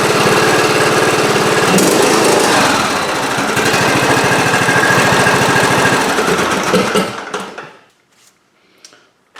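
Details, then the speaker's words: John Deere residential riding mower after oil change and spark plug reinstall, run to fill the oil filter: steady, even fast single-cylinder chug, no misses or rattles, winding down cleanly at shutoff; normal running. "You just want to start it up and we'll just run it for a little bit so the oil can circulate through the system, fill up the oil filter, we'll turn it off and recheck the oil level."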